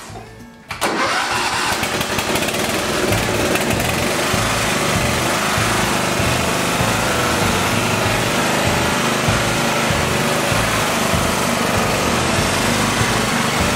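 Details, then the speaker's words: $100 Simplicity riding mower after engine swap and deck repair, fired up to test blades and drive: short crank then steady, even run with music over it; sounds healthy. "but let's fire it up fire it up fire it up kick on the blades make sure everything works and take it for a little spin"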